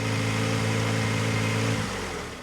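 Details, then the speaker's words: 1991 Honda Civic after 10+ years sitting, after head retorqued following suspected head gasket issue: smooth steady low idle hum, even beat, no knocks or ticks; nice and quiet, exhaust still in good shape. "It's nice and quiet. Exhaust is still in good shape."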